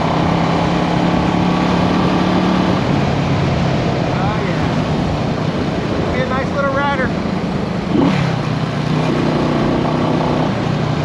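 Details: 1974 Honda CB360 twin, test ride after fixing the faulty number two carburetor: pulls smoothly through the gears without stumbling, then settles to a steady, even idle at the stop. Running cleanly.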